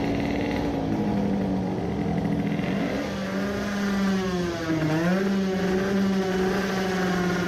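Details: 20 hp tuned two-stroke moped with new 0.4 mm Malle Carbonio carbon-fibre reeds, revved repeatedly at full throttle: slight uneven breakup near the top, a mild high-rpm misfire remains though improved; won't rev past about 15000–16000 rpm.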